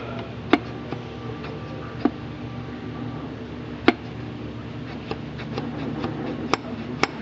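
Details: SU H-type carburetor during rebuild, jet loosened for centering: crisp, isolated metallic clicks every second or two as the lifted piston falls onto the bridge; drops cleanly once the needle stops dragging. Piston dropping freely, jet centered.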